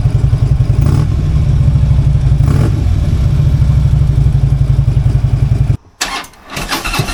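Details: Harley-Davidson V-twin idling just after a new part was fitted, started on a nearly dead battery to compare with the earlier sound: deep, lumpy idle with steady potato-style beats about four a second before cutting off; normal idle, no clear difference heard.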